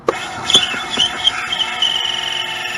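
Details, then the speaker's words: Gas Club Car DS golf cart cranking with a spark tester fitted, showing good spark: a high, wavering squeal with sharp chirps from the worn drive belt slipping, which is to be replaced. "like I said we are going to change that belt so it'll shut up"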